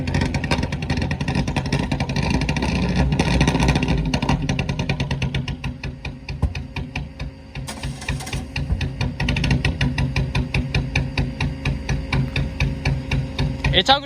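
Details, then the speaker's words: Four-cylinder race car just picked up: uneven, stumbling revs with skipped beats, skipping and backfiring as the throttle opens, sounding like a tractor; running rough, cause unknown. "Something's wrong with it. It's not supposed to sound like that. It's skipping, backfiring."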